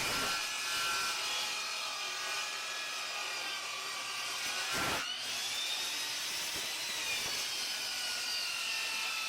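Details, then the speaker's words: Dovaman DMS01C 10-inch sliding miter saw with a brushed motor, making a tough 45-degree bevel cut through wood: a steady high rasp, with the motor note sagging toward the end of the cut as it bogs down under load. "You could hear it really well at the end of that cut right there. It was really slowing down and probably couldn't take too much more of a challenge before it either cut out, or we don't want to let any smoke out because this is a brush tool, but it is a possibility."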